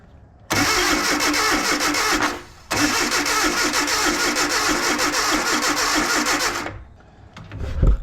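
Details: Datsun/Nissan 720 King Cab 4x4 pickup abandoned 20 years, ignition on after resetting number one and firing order: long uneven cranking runs with pauses, never catching; owner suspects ignition timing way off, super advanced.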